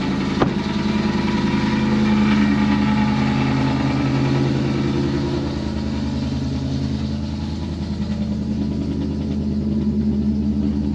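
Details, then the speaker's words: 2023 Thor Quantum KW29 motorhome (Ford E-450 chassis, 7.3L Godzilla V8) after fixing an underfloor exhaust heat-shield rattle: the engine starts very loud at a fast idle, then eases back smoothly. This is the motor's normal cold-start high idle. "This motor's got a quirk to it. When you fire it up, it gets very loud, and after a moment the noise settles down."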